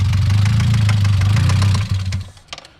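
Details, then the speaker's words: Mazda Miata rough idle with a steady, deep low knock, then it dies, after new coil packs, spark plugs, a ground fix and timing work; owner suspects bad rod knock, not confirmed; a little throttle kills it. "okay guys after a lot of trial and error i definitely gotta run in but if you can hear that this thing's got rod knocked bad that's got to be rodnock"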